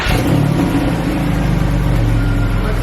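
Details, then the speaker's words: Porsche 911 (996) flat-six idling smoothly and evenly on all six cylinders after a misfire was fixed. A steady low hum with no stumble or missing beat. "but yeah we've now got it working properly"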